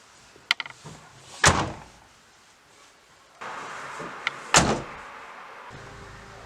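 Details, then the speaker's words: Renault Megane MK3 GT Line door before sound deadening: two slams, each a hollow tinny bang with a brief buzzy rattle from the uninsulated metal door body and a loose lower plastic trim piece; door panel rattle. "Our door rattle is the most annoying thing about this Megane."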